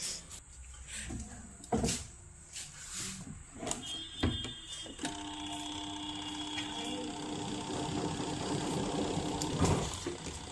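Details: Voltas 7 kg washing machine spin motor after repair: handling clatter, then a steady motor hum with a whirring tone that holds even; the spin motor is working properly.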